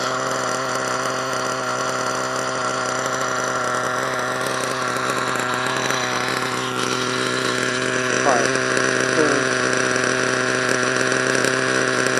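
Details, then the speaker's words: HPI Savage nitro truck, HPI 4.1 engine: screams with a steady high buzz as it revs but the truck does not drive properly; owner suspects a stripped gear, not confirmed. "what the freak man I don't understand what's going on oh my God well I think that's the gear the gear made up feel it man"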